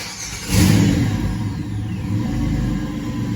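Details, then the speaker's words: 2006 Buick Rendezvous 3.5 with intermittent no-start, after replacing failing fuel pump with new Delphi pump: cranks and catches immediately, revs briefly, settles to steady even idle; starts and runs normally. "Well, it starts and runs good. The new pump looks like it's going to do so much better."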